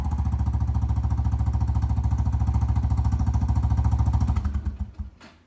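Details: Kawasaki Prairie 300 ATV with a gutted stock muffler (internals and spark arrestor removed), before the swap to an Amazon slip-on: loud, coarse, evenly spaced exhaust pops about three a second, then the engine shuts off; raspy note.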